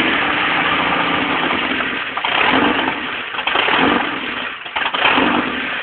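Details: 1989 Jeep Comanche 2.5L: uneven, surging run, note dipping and catching every second or two as if fuel-starved; bad fuel pump suspected as the cause.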